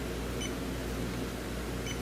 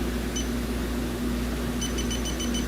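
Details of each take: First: 2013 Hyundai Elantra AC leak hunt, R134a system: after a puff of air clears the valve, the warmed-up sniffer gives only a few slow chirps over fan hiss, no longer alarming; no leak detected at the valve. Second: 2013 Hyundai Elantra A/C discharged from a known leak: electronic leak detector at the high-side Schrader valve on low sensitivity gives rapid high beeps; alert possibly caused by oil, leak unconfirmed.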